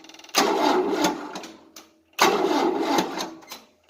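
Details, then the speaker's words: 1988 Tennant 255 Series II sweeper, long unstarted, new fuel line, cranking on a booster with cables warming: two sluggish two-second cranking bursts fading without firing; slow, weak cranking, no start. Owner plans to jump from a good battery. "Sometimes if you give it little cranks, it might start firing, because some things do that. It's not going to go right now, so let me see if there's a good battery here and see if I can jump it with a battery."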